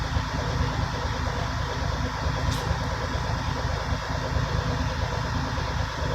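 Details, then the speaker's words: Diesel truck idling during an in-cab brake inspection, air built up after fanning to 90 psi: one short sharp air hiss as the compressor governor cuts out at 120–140 psi once fully charged, which is normal. "And then once you know that it's fully charged, is when you hear the burst of air, and that's when the governor cut kicks"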